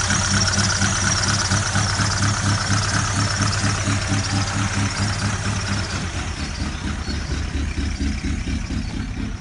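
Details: Ford Galaxy at steady idle with a sharp, even clack about twice a second over the engine note; engine knock whose source is still unknown.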